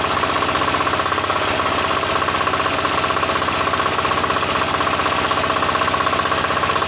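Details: Diesel engine that would not start, running after its injector pump was refitted and the fuel line bled of air: a steady diesel clatter at about four beats per second, no misses or hunting; normal running.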